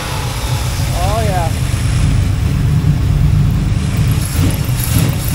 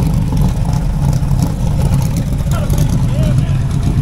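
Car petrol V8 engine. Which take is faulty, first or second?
second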